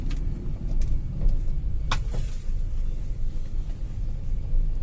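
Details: Tata Altroz petrol driving after its third service (oil and air filter changed): even low road-and-engine rumble, no knocks, ticks or rattles; engine noticeably smoother and quieter than before.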